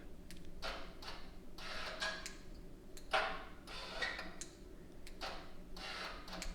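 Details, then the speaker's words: Hyundai Elantra GT / i30 N-Line 1.6T, new XForce Varex valved catback exhaust, valve module temporarily powered from the 12 V socket for a test. Soft, light clicks in a few separate bursts in a quiet room: normal valve actuator clicking. "So that means everything's working. You can hear the module clicking, everything like that."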